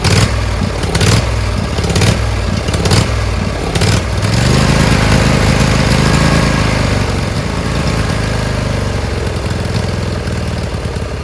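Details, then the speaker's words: Briggs Intek V-twin on a Craftsman LT1000, after a sump gasket repair: it cranks a few times, catches, then surges as speed rises and sags. Owner suspects a misadjusted homemade governor spring, since it runs well only while he holds the linkage. "So it runs, but it surges. I think it's that spring thing is wrong. When I put pressure with my hands, it runs pretty good. But if I don't touch it with my hands, it surges."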